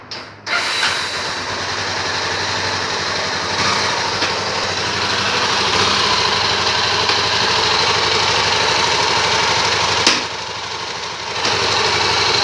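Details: Honda Tornado 250 motorcycle idling in neutral: a fast, slightly uneven tapping over a buzzy note with a few sharper knocks. The noise is loud in fourth gear at 30 km/h but absent in third, and weaker in neutral, so the gearbox is doubted. The source is unclear.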